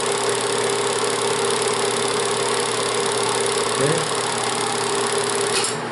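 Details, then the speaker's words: Bell & Howell Autoload 8mm/Super 8 projector in Super 8 mode, lamp off, rewinding film: steady busy whir, fine mechanical chatter, constant mid-pitch tone, running evenly; normal rewind. "Apagamos la bombilla. Ahora vamos a ponerlo que se regrese toda la película. Este lado."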